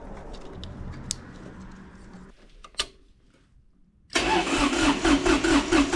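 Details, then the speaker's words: Kubota D905 diesel (Lincoln Ranger 300 welder) at operating temperature, cranked with gauge in cylinder 3 glow plug hole: even, regular compression beats, none weak; cylinder 3 about 380 psi, healthy. "cylinder 3 right about 380"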